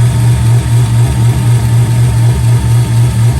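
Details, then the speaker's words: C5 Corvette after break-in of a BTR cam with dual springs, pushrods, lifters and Cook's headers: loping V8 idle with a pulsing beat and faint ticking. Valvetrain noise comes through the headers; header exhaust leak suspected, not confirmed. "think we're chasing a little bit of an exhaust leak at the headers too."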